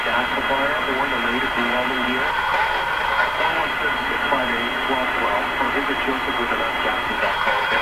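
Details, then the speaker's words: RCA Victor A23 Canadian-made tube radio, audio capacitors already replaced, playing music: harsh, fuzzy sound with buzzy rattle on every note; speaker confirmed in big trouble, repair to be attempted. "okay there's no question the speaker is in big trouble in this radio there's no question about it"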